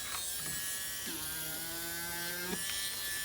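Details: Small plug-in, made-in-China manicure/pedicure high-speed rotary tool with diamond bit, bought at auction: high thin electric whir spins up and settles at steady pitch, no rattle or grinding; normal running.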